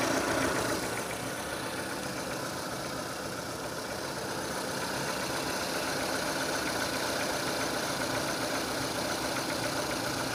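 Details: 2006 Renault Scenic 2, K4M 1.6 engine with automatic gearbox, 202,000 km: steady idle with a faint regular tapping about three to four per second, seemingly from low down.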